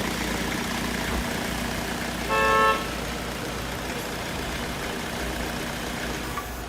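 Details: 2007 Ford Connect 90 PS diesel after an injector overhaul for heavy misfiring (high injector return leakage): steady, even idle with no stumble, brief horn toot; engine now healthy.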